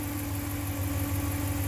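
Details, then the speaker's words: 2014 Dodge Ram 1500 5.7 Hemi V8 after an oil change, just out of cold high idle: smooth, even low idle with no ticking or dry tapping as oil reaches the whole engine; normal idle. "good just came out of its high idle so it's settling and I'm sure the oil pump through the entire motor by now"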